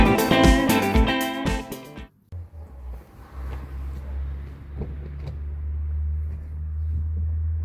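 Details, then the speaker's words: Kia Picanto/Hyundai i10 1.0 G3LA engine at 70,000 km, idling after timing chain replacement: steady low idle with no rattle, the noise fully gone, confirming the worn timing chain was the cause. "come potete sentire il rumore è completamente sparito Quindi era proprio la catena di distribuzione ah"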